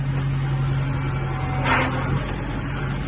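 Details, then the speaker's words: Tractor with glide shift transmission, shuttling between reverse and forward: steady low drone with a brief gritty rushing burst on engagement; owner asked about grinding, deemed normal hydraulic clutch engagement. "reverse ears forward trying to see exactly what that kind of grinding-ish noise is that you hear"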